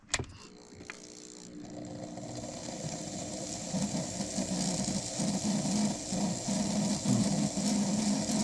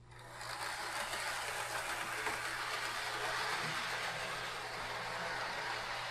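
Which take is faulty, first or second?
first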